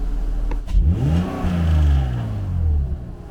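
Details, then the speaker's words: BMW M54B30 engine for E21 track car, unused for over a month, air filter box disconnected: intake rush first, then revs rise late and fall smoothly; throttle response delay, possibly from the incomplete intake setup and sensors. "So there does seem to be a bit of a delay after pressing the accelerator to the revs rising."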